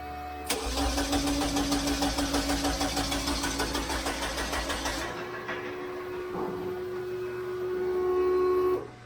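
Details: VW Beetle cranks evenly, about three beats a second, but never catches: no fuel delivery because the fuel pump relay gets no power. Ground was improved first; the owner suspects a low battery, and an earlier quick fire came from brake clean in the intake.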